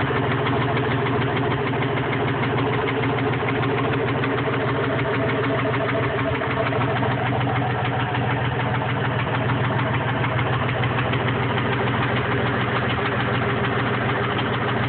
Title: Rod knock? Stuck valve? Exhaust leak?